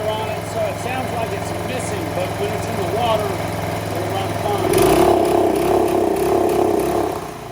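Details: Boat motor after repair of missing welch plug that others could not diagnose: steady idle, then throttle blip brings choppy stuttering beat from rev limiter out of water; otherwise runs healthy.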